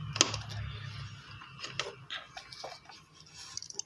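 A sharp single click when power is applied, among small handling taps; the relay is switching as it should.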